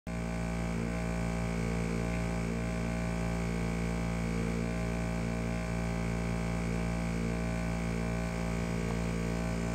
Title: Bosch dishwasher noise troubleshoot video